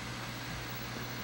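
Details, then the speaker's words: Nintendo Wii after replacing the faulty disc drive (constant eject/latch problem): quiet, even whirring hum with steady low tone, no clicks or grinding; much quieter than before, drive running normally. "much quieter yeah whatever and definitely sounds good"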